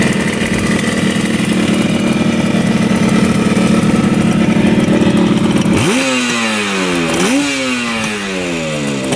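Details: 1975 Yamaha RD200 two-stroke twin, first start after 20+ years in a barn: steady burble, then two blips with revs rising and falling cleanly, both cylinders firing evenly and hot; running healthy.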